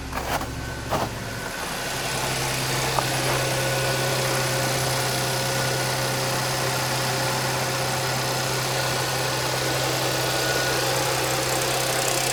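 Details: 2010 Audi A6 4F/C6 3.0 TFSI, 110,000 km, cold start: brief rattle at startup then steady idle hum with a faint thin whine; timing chain rattle suspected, unconfirmed.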